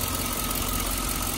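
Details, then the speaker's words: Chevrolet Suburban Z71 5.3 V8 at Copart auction, listed with mechanical damage and possible slipping transmission: short stretch of steady, even idle, no standout knock or tick; motor sounds good. "motor sounds good this is the 5.3"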